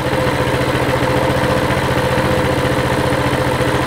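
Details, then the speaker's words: Coleman CT200 mini bike with a non-adjustable carb (it took off when started because the idle was too high) idles with the throttle return spring unattached; 1900 rpm still high, then adjusted to about 1730–1750 rpm, a steady even putter, normal idle. "still a little high i can tell already yeah we're at 1900 that sounds better 17 30."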